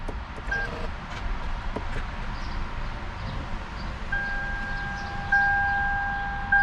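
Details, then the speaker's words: 2006 Lexus IS 250 sat nearly a year, after battery swap/jump with dash electronics on; repeated two-note warning chime while engine never catches despite fuel; no-start, owner suspects starter or weak battery. "Not looking good. It's got fuel. It sounds like it's trying. I think it might be the starter. All right, so it won't start."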